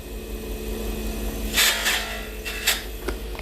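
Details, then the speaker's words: Pen-making lathe turning acrylic at just over 3,100 RPM: steady motor hum with harsh, scratchy bursts of chatter as the tool digs in; a bad cut from pushing the tool too fast and too hard. "That's bad cutting. That means I'm going too fast for my tool."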